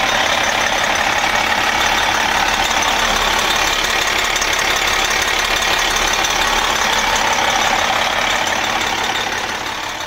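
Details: MCI coach Detroit Diesel S60 DDEC6, 425hp, after repairing faulty external engine wiring harness: even diesel idle clatter with no stumble, running on all 6 cylinders.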